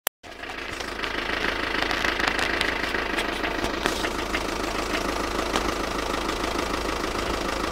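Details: VW Passat at steady idle: sharp, fairly regular knock about three times a second riding over the engine; knocking of unknown origin.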